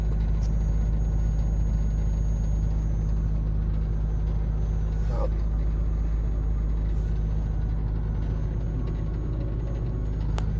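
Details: Maruti Suzuki WagonR with AC on, inside cabin: heavy steady low drone and vibration; new radiator fan wired in reverse and spinning backwards; car also sometimes overheats, no noise with AC off.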